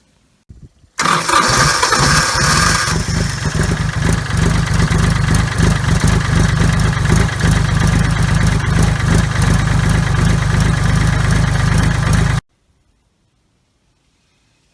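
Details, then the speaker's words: 30-some-year-old diesel tractor, hard starter for 15 years, now with starter relay fitted: brief crank, instant catch, steady even diesel clatter at idle for ten seconds before shutdown. Normal start. "So I'll fire it up one more time, and what used to be a hard starter for the last 15 years apparently isn't anymore."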